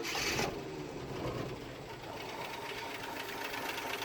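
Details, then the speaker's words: 1976 postal Jeep parked in woods for years, freshly started: fires right up, rough rapid clattering tick with audible valve train, knocking, nothing on oil pressure gauge; low oil pressure suspected, gauge fault possible. "It does fire right to life. There's a little bit of movement there. Nothing on the gauge. You can hear valve train. You can hear a lot of things."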